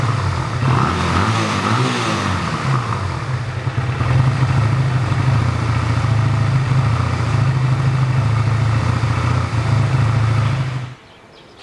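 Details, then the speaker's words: 1985 Honda Rebel, 2000 miles, after 17 years stored, warmed up and no longer smoking: rough, lumpy idle on half choke that sags and cuts out; dies when choke pushed in, carburetor to be removed and cleaned. "But anyways, she's not smoking now, but she's running a little rough, and now she's at half choke. I can't even return the choke. As soon as I push the choke in, she dies. So I think the carburetor needs to be taken out and cleaned up."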